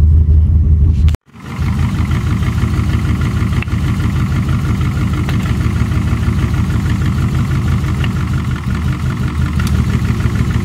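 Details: V8 with Holley Dominator EFI, cylinders 1, 2, 3 and 4 getting no injector pulse; a deep, lumpy, uneven idle running on only four cylinders, a fault usually cleared by cycling key power to the ECU.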